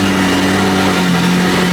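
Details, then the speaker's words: McLaren 570S engine after fitting Nissan Sentra parts to fix a misfire that cut power under acceleration; loud, even engine note with steady low tones and no stumble or skipped beats, running much better than before. "It sounds so loud, but it sounds way better."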